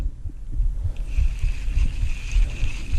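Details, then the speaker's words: Fishing reel being cranked after it was greased with petroleum jelly (Vaseline) and reassembled: a steady high whir with dull thumps. It feels smoother but is still noisy, possibly from too little Vaseline or because it needs more running to work it in. "reeling smoother but it's still noisy so there's two things that could be going on in here"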